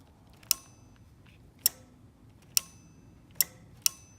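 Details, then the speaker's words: BMW E36 with V8 swap, no-start troubleshooting: sharp crisp single relay clicks at uneven gaps, five in about four seconds, when two matching plugs are connected. "these two plugs match plug them in if I can with one hand that relay right there clicks"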